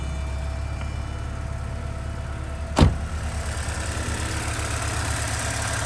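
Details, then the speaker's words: 1983 Porsche 944 that sat for 14 years, idling on a test ignition switch from another car to warm up: a steady, even low pulse, one brief thump, good oil pressure; normal idle. "Sounds pretty good. Cable sticks a little bit, but not bad. So I'm gonna let the engine idle up the temperature."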